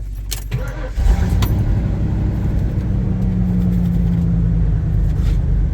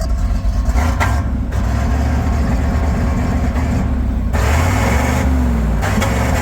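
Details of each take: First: V8 truck started after its battery was charged: catches after a short crank and settles into a steady, even idle with a deep low rumble and no knocks; running smooth, clean at the tailpipe. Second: Resurrected tow truck, under 3 minutes after an exhaust bung fix: uneven, loping idle with wavering pitch, problem already back; rough running from over-fueling, owner avoided buying new injectors.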